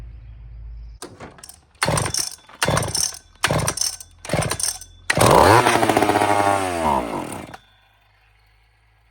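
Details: Old, rare chainsaw (model 28 2399 or 2899 B10, stock muffler), gas poured straight down the carburetor to prime it: several short bursts of firing, then one longer sputtering run that dies out, as the saw is flooded with too much fuel.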